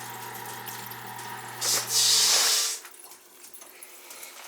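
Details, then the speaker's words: New boiler replacing a 35-year-old leaking oil boiler, filling and purging the loop: low pump hum, then about a second of hissing, sputtering rush as trapped air blows out of the hose; a kinked hose was found too. "There's air in there. Here comes the air. See the hose? That's air."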